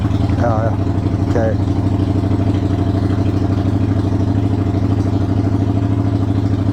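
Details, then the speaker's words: 1993 Yamaha Virago XV535 V-twin, cold with choke open, started just after first-time spark plug replacement: idle has an uneven, stumbling, loping beat. It struggles, and the owner thinks he made a mistake during the plug change. "we're going to just listen to it now it's [Music] struggling"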